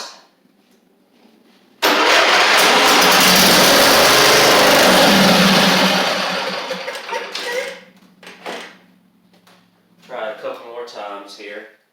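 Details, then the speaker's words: Huskee Supreme 50-inch riding mower, Briggs V-twin; starter spins about five seconds without catching, solenoid heard but no fuel getting past the fuel pump, fuel line by tank hard; owner suspects fuel delivery: crank no start. "I can hear the solenoid but I don't hear yeah we're not getting anything past the fuel pump"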